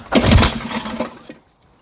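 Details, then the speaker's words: 1960s Mercury 3.9 outboard, stored two years, new impeller, starting on choke and primer: quick burst of firing, then uneven sputter and dies within a second; won't hold idle. Owner suspects plugged intermediate and pilot jets in the carburetor. "here she just doesn't want to continue looks like I got lucky on the first shot because clearly she doesn't want to continue"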